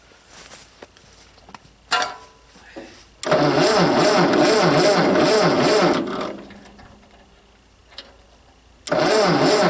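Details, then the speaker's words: Ford 8N tractor, first start attempt with a battery put in, in neutral, choke pulled, starter fluid sprayed: two bursts of steady cranking with no firing; crank no start, cause not confirmed. "nothing happening that's where they put the starter fluid"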